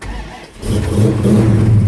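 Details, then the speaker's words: Big-block Plymouth Cuda V8 after a budget HEI-module hybrid electronic ignition upgrade, running HEI on the black coil with no tach signal hooked up yet. It starts cleanly and revs into a strong, even roar with no misfire. Normal start and rev. "So let's fire it up and see how it works. Currently black coil, HEI."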